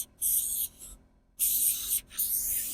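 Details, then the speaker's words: Well pressure tank being pumped up with a small air compressor: bursts of sharp high hiss while air is fed in, stopping between pulses, as air escapes past a broken tank valve stem, later replaced. "I tried to put air into this uh it's just like a on a valve stem on your tire on your car so when I'm airing it up you know it's going in but it's leaking"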